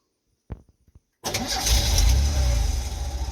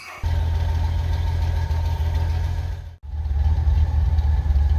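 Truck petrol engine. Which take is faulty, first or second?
second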